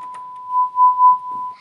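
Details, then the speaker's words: Sony STR-GX80ES receiver after extensive component replacement and fix of right-channel crackle: pure steady 1 kHz test tone swelling and fading with volume, no switching noise, crackle or oscillation; output clean. "łączymy sobie sygnał testowy jeden kilohertz nie słychać żadnego przełączania kropeczka działa także momentu przełączanie słychać żadnego jestem tu nie trzeszczy"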